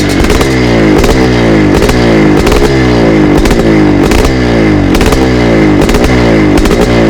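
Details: 1982 Husqvarna 430CR twinshock two-stroke dirt bike, freshly rebuilt from two scrap donor bikes: crisp bark blipped up and down about once a second, no knocks or rattles, healthy engine.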